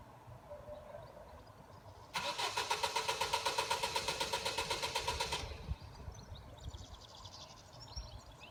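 Starter spins the engine at about four even turns a second for three seconds, but it never fires and cranking stops.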